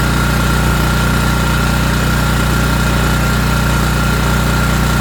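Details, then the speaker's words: ETQ TG3000 3000 W portable generator after servicing, restarted on choke and fired right up: steady, even thrum at constant speed, no hunting, misses or surging under its governor. Normal running. "Yeah, no problem. Fired right up. Good sign. She's running."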